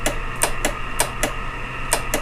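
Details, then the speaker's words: 2000 Polaris Scrambler 400 two-stroke ATV, fully charged battery, key on: single sharp clicks at irregular intervals over the hardwired fan's hum, no cranking; owner suspects the starter solenoid, to be replaced. "you can hear that all it does is click so usually starts with the starter solenoid there because the battery is in great shape it's fully charged"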